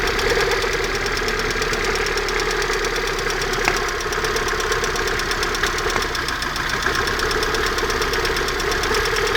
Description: стук в районе выпускного коллектора, что может быть?